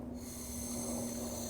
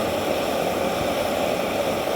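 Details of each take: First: EZ-Wok high-heat burner with a 0-30 psi regulator, line pressurized and leak-checked: the pilot valve is opened, giving a steady, even gas hiss with a faint hum, no sputter or surging. Gas flow to the pilot is normal. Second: EZ-Wok X7 burner with a 0-30 psi regulator, main valve full open: a loud, steady roar with about 1.25-inch blue flames. The regulator pressure is too high and should be backed off to lower the flames.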